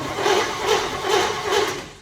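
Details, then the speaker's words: 1963 Chevy C10 under restoration, first key turn after a bad starter; no fuel hooked up yet: even, strong cranking pulses about two per second, nothing grinding; starter turns the engine over properly, normal cranking. "Well, we have power. Now we just need a little bit of gasoline, and this thing is going to start right up."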